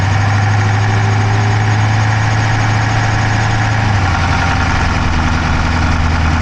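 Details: Dodge Charger Hemi V8 at idle, camera in the driver's side engine bay: fast, light top-end clicking about three per second over an even idle that dips slightly; owner rules out a dropped valve because there is no smoke from the exhaust, cause unknown.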